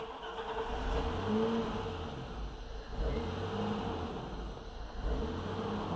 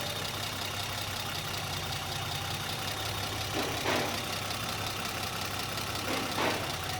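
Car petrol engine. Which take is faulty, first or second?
first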